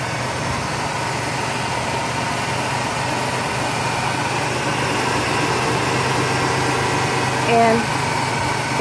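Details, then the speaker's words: 1994 Ford Taurus started after replacing the alternator brushes, fixing the alternator cutting on and off: a smooth, even idle with a steady low hum and no dropouts or surging. Normal idle. "but car starts up beautifully"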